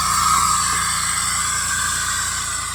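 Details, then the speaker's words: 2000 Jeep Cherokee, first start after replacing lifters to cure lifter tick: steady, even, smooth idle with no ticking or knocking over a whoosh; normal idle. "No knocking. It is silent. Dead silent."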